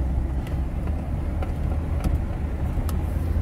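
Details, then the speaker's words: 2005/06 Chevrolet Silverado road test after replacing a seized hub bearing (the customer had thought the brakes were grinding): a smooth, low road rumble at steady speed with no grinding or growl. The new bearing sounds good. "I mean, it feels good. There's no noises, nothing weird going on. So I'm gonna call this a success."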